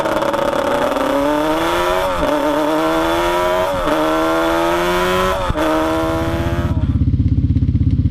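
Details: Yamaha Banshee 350 two-stroke twin on a test ride after carb sync and rejet, revving through the gears; pitch flattens and won't climb at the top; bogging at top end from main jets too rich at 178, going down to 160.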